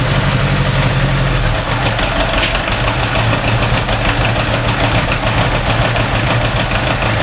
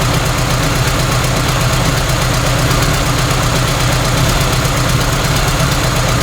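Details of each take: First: First cold start of an engine with a newly fitted single carburetor, no choke, hand throttle, 65°F garage, external alternator load, mild intake-runner vacuum leaks. Warm-up idle near 1200 rpm is lumpy with ticking and electric fuel pump clicking; dark plugs show it runs rich. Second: Cold start at 65°F in garage after installing single carburetor, hand-throttled, no choke, minor intake runner vacuum leaks; external alternator connected: steady even idle with low drone, no misses, load smooths running but slows acceleration.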